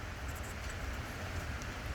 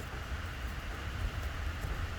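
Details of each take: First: 2011 Dodge Charger 5.7 Hemi Pursuit with code P0307, rough idle running on 7 of 8 cylinders: uneven low idle with irregular stumble; cylinder 7 misfiring, plugs checked and regapped, unplugging injector made no difference, suspected defective injector. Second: 2011 Dodge Charger Pursuit 5.7 HEMI V8 at idle after fixing the cylinder 7 misfire (P037) by refitting the injector with its missing O-ring: deep even burble, no stumble or skipped beats; normal idle.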